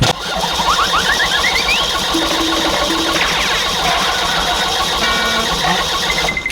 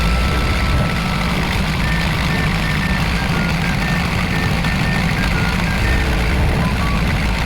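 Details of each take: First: Kia Bongo Big Eye diesel no-start: starter whirs and cranks steadily, pitch rising, never fires; glow plugs and fuel checked, mechanic suspects fuel shutoff valve stuck, starving injectors, next trying its removal. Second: Kia Bongo Big Eye diesel that would not start, now running after a hose/part was refitted: steady deep diesel idle with an even rumble, no knocks, misses or hunting; fixed and running normally.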